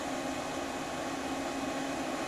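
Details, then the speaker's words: Old thermal-printing Brother fax machine, unused about 7 years and recently repaired, used as a printer: soft steady whir with faint constant hum as the fuser roller lights up and heats while sending page 1 of 1; normal fuser warm-up. "it's just readying itself you can hear the fuser heat it up"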